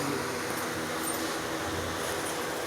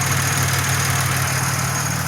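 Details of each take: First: Pontiac Grand Prix petrol engine idling evenly after reassembly of injectors, fuel rails and MAP; sounds more stable with no vacuum-leak hiss; started from cold, so needs 15–20 minutes running and coolant bleeding. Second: Grand Prix after a coolant system flush, running 20–30 minutes at idle with fans not yet on: smooth, steady low idle with an even beat, no stumbles or hesitation.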